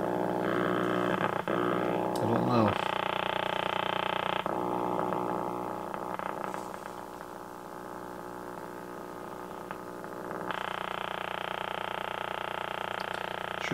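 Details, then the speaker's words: 1951 RCA Victor 1-X-51 AM vacuum tube radio, 72 years old, powered up on the bench out of its cabinet: steady low growl and buzzing hum; owner suspects a filter capacitor not hooked up or wired in the wrong place. "like a passor is not where it's supposed to be"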